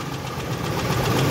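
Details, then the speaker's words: Ford F-150 with rough running, bad coil packs and coolant-filled plug bores: rough, loud idle with hard knocking tick, suspected from the wrong, overlong spark plug striking and breaking a piston; engine will need replacement. "but I'm gonna guess that that knocking noise I'm hearing or ticking noise is what's left of that spark plug having gone through a piston"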